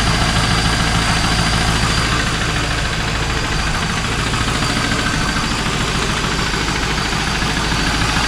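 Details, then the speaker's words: 2001 Pontiac Trans Am LS1 V8 idling right after Marvel Mystery Oil and Seafoam treatment: a loose, fairly regular tapping of about three knocks per second over the engine note, maybe slightly quieter but persistent. Cause unconfirmed. "It may be a little quieter, I don't know. Still there."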